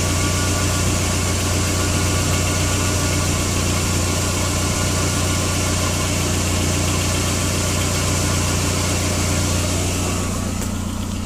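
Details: Skoda Octavia 1.8T AGU engine: steady idle with a fast, light rattling tick throughout; dual-mass flywheel failure suspected, not confirmed; ticking rattle at idle.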